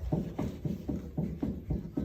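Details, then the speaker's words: 1964-73 Mustang hub during wheel bearing nut adjustment with DRP spacer, ungreased bearings, no load: dull regular knocks about three a second as hub rocks; bearing still adjusted too loose. "you hear that it's still loose okay there's no load on those bearings okay really close actually if we had grease in the bearings you wouldn't be able to hear that back and forth"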